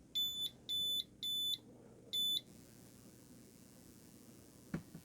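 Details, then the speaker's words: WEIZE 2kW inverter on bench supply raised past 15.5 V DC: four loud high-pitched beeps, over-voltage protection alarm tripping at 15.7 V input. "Let's increase to 15 volts. Right now it's 15.4, 15.5. So at 15.7, it triggered the overvoltage"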